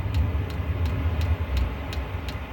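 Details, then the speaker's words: Diesel heater on start cycle in an off-grid cabin, pump pulsing with air bubbles in the pressure-side fuel line: sharp regular ticks about three a second over low blower rumble, igniter trying, then flame-out from fuel starvation; owner suspects mixed fuel sources. "Yeah, it's flamed out just because it's not getting enough fuel."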